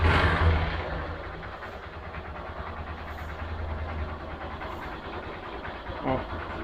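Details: 2010 Honda Fan 125cc motorcycle idling, microphone near the exhaust: light, uneven tapping about three per second; internal engine knock, cause not yet found.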